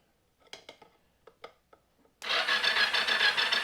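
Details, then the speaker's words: 1983 Yamaha XZ550RK Vision, unused for years, starter solenoid jumped with a suspected dirty switch and no spark: a few clicks then steady fast starter whir turning the engine over; some compression but never catches; owner suspects a weak battery. "this is turned over I'm trying to get my finger in it see if I get feels like it has some compression turns over I need a stronger battery"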